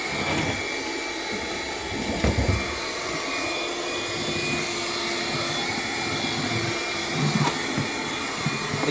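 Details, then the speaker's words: Bissell PowerGlide cordless vacuum on low power, brush roll off, hard floor: steady motor roar with thin high whistle; clogged airflow, later confirmed as a clog low power couldn't pull through. "making like a higher pitch kind of sounding like it's clogged but I haven't vacuumed up anything that would clog it"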